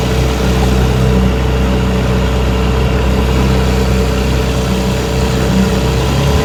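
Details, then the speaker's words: 1970 Johnson 6 HP outboard, warm, after rebuilt magneto, coils, points, condensers, plug wires, cleaned carburetor and replaced spun prop hub, running under way about 11–12 mph: smooth, even drone with no misses, knocks or surging; normal running. "So I brought it in, had the hub replaced, and she runs pretty good now."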